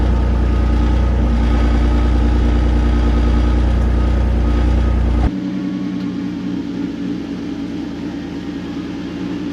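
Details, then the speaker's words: 2006 Porsche Cayenne 3.2 V6 non-turbo petrol, about 103,000 miles, camera under the bonnet and at the rear: steady, even low rumble dropping to a calmer idle partway through, no stumbles or misses; healthy cold-start idle. "we'll fire it up now have a bit of a cold start we'll turn the car around and we'll have a quick look around it"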